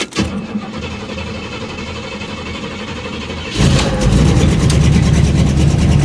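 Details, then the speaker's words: Buick carbureted engine sitting two weeks, started after three throttle pumps: cranking, then it catches and runs rough with a definite misfire when revved and an overly fast idle. The owner wonders about vapor lock; the cause is unconfirmed. "here's the misfire and if I rev it it's running but misfiring don't know if you can hear it but this definite miss there"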